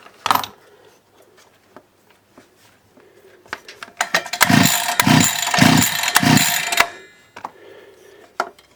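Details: DWT BFS 43/42 petrol trimmer, 42.7cc two-stroke, after crankshaft, bearing and seal replacement, still on original carburettor: quick rhythmic pull-cord strokes spin it over but it never catches. No-start; the carb's leaking needle valve was later replaced.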